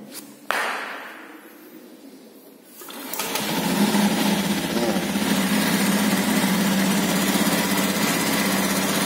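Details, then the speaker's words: Honda Beat Pop automatic scooter, used-bike check, cold start: starter click and whir, engine catches at high unloaded idle then settles to steady idle; normal, no strange noises. "suaranya tinggi kemudian dia akan kembali stasioner itu posisi yang bagus suaranya cek suaranya normal tidak ada suara yang asing"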